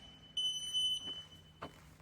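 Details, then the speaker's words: CWU power wheelchair alarm: sharp high-pitched beep with one red and two green lights, as when the chair is switched from electric to manual (freewheel) mode while still powered on. "This wheelchair makes this type of sound in two types of scenario. First scenario where you want to push this wheel by switching it from electric to manual mode but you forgot to turn off the wheel which is the common mistake."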